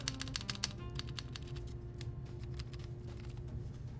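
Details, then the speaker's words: Polycarbonate Polaris keyboard with lubed, clipped screw-in GMK stabilizers, Tealios V2/UHMWPE switches; uneven presses with sharp ticks from a lifted stabilizer that moves around, needing stabilizer fixes installed: stabilizer ticking and rattle. "It moves around and you can hear the ticking noises. So it looks like today we actually need to install these."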